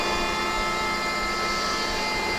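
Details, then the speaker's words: Hoveround MPV5 power chair with 5-inch electric seat lift, 10 miles: steady even motor hum with a fine whirr, no grinding or labouring, while lowering the seat; normal seat lift lowering. "so to bring the Seacliff down I'm just gonna reverse what I just did and I'm gonna bring it back down"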